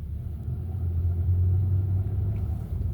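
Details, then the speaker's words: Hyundai Sonata DN8 (The Edge) at low speed after a clunk at 100 km/h: power limited, no acceleration, low uneven growling "bu-geu-reung" instead of a normal hum; engine warning light on and off, later oil warning; codes show low oil pressure and oil pressure sensor range/performance fault. "출력 제한되었고 가속 안 되고 소리도 부릉부릉이 아니고 부그릉 무그릉 그릉 그릉 이런 소리가 나니 천천히 들어가야 봐야겠어요. 들어가던 중 경고등은 사라졌으나 소리를 잘 들어 보시면 그런 소리가 나요."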